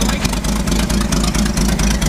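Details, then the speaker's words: Ford F100 short bed 4x4 six-cylinder with a very large carburetor, after a rollover: lumpy, slightly uneven idle with low rumble and soft regular dips; running very rich, fuel smell noted. "sounds like it's rich it's very rich that's a big big big Carver yeah I can smell it a massive carburetor for a six"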